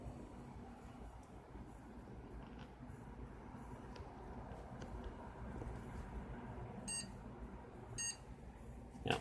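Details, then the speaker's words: PC about three months old, RAM reseated in the other slot after power-off and capacitor discharge: two short high beeps about a second apart over room hum, then nothing. POST error, will not boot. "same 2 beeps. Okay. Power off."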